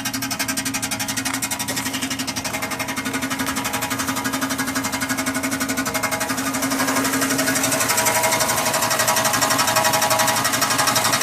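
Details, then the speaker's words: 1996 Chevy Impala SS LT1: rattle on acceleration that stopped when coasting; after opening it up on the highway, a loud, fast, even rattle persists and grows, seemingly from underneath, source unknown. "Tonight I got on it a little bit more, open it up a little bit. Now all of a sudden I'm getting this loud noise, and now it's not going away."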